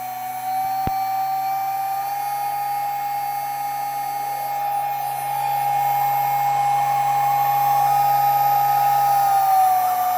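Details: New spindle on test run with Rexroth EFC5610 drive at 6000 rpm: steady high squeal over the spindle whir and drive hum, shifting slightly as speed settles.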